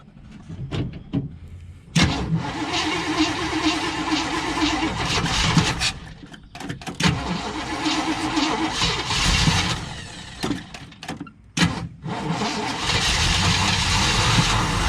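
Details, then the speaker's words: 1958 Chevy Biscayne first run after years of neglect: cranks, catches, then a loud rumbling idle with throttle blips through a 1-3/4 inch exhaust. It has oil pressure, idle adjustment is maxed, no knocking; it runs normally. "there ain't no moving that idle deal all the way up but it's got oil pressure and everything sounds like a freaking hurricane you've got an inch and three quarter exhaust on"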